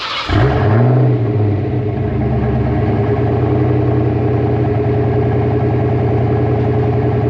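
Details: 1988 Ford Mustang GT with 306 small-block V8, B303 cam, Cobra intake, emissions deleted, underdrive pulleys, fresh oil change, at start-up: catches instantly, flares, then settles into an even, deep burble with no tapping or misses; healthy.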